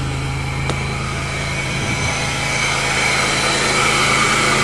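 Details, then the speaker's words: 1998 Chevrolet Lumina LTZ, 3.8 Buick Series II, just started after sitting since October 2007, fresh battery: smooth even exhaust note, no misses, knocks or smoke; healthy, as if recently run. "well you'd never know sounds like she was just running five minutes ago"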